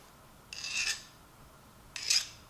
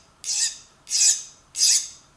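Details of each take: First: Nicholson file stroked across a ratchet mechanism gear to test hardness during a Craftsman vs Pittsburgh Pro ratchet teardown: three short gritty strokes bite and rasp instead of skating, so the file cuts easily; the steel is not hardened. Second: File stroked across the spring-loaded ratchet pawls to test hardness during a Craftsman vs Pittsburgh Pro ratchet teardown: three strokes give a bright, high-pitched glassy hiss with no bite, so the file skates; pawls are hardened.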